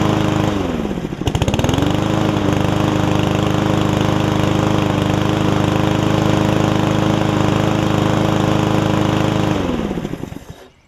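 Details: Yard Man self-propelled push mower with Powermore engine, long-sat, after carb clean and self-propel freed up: picks up quickly, holds smooth steady speed, winds down cleanly at shutoff; about 90%, old gas likely still washing out, owner may add Seafoam.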